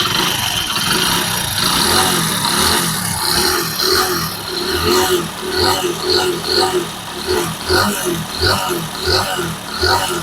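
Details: Hero HF Deluxe single-cylinder motorcycle, sound before the engine rebuild: uneven revving with a rough, rattly clatter over the exhaust under throttle; abnormal engine noise, cause not identified.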